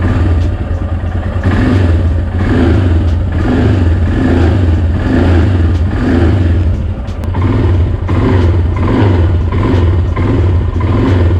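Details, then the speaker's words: Royal Enfield Himalayan single-cylinder idling and blipping evenly after a DIY packing fix on the front end; the earlier "tuck tuck" front vibration rattle is gone. "showing you again there's no more of that tuck tuck sound i'll also put on the bike and show you later"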